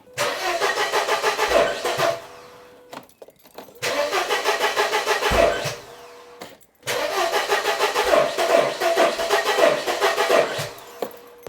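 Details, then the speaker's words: 1994 Mercedes W202 C180 after wiring/coil pack work: three cranking bursts at steady starter rhythm, each stopping without catching; crank no start, owner suspects misfire, coil pack or firing order. "It looks like we have a misfire or something. I don't know. It's spinning, and then when it wants to kick in, it stops."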